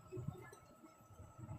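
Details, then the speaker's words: 1200 mm ceiling fan, stopped with cover opened: two short dull knocking rattles as the shaft is rocked by hand, from a badly worn shaft and bearings that made it noisy and stiff when running. "तो bottom खोलना से पहले हमने इसके soft को थोड़ा सा हिलाया तो हमें अंदर से खतखाती की आवाज आनी लगी"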